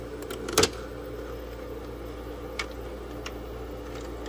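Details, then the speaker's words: Frigidaire EFIC117-SS ice maker after repair attempt and bleach cleaning, set to large cubes: low steady hum, then sharp clatter of cubes dropping into bin and a lighter tap; normal ice harvest, cubes seem smaller than expected. "Oh, it's done. I don't think those are large ice cubes, but..."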